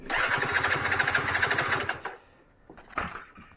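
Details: 2006 Keeway F-ACT 50 two-stroke scooter, started with a weed-wacker after sitting, once power switch turned on: buzzy two-stroke note catches and runs about two seconds, then drops away, likely fuel-starved; engine starts and runs.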